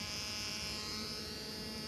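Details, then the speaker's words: Dicon 37-inch LCD TV, picture present but no programme audio: a steady harsh electrical buzz with a thin high whine from the speakers whenever the set is powered on. "इस तरह की इसकी sound आती है, ठीक है। ये इसमें फॉल्ट है, पिक्चर भी आती है लेकिन इसकी साउंड जो है वो इसी तरह आती रहती है, ठीक है।"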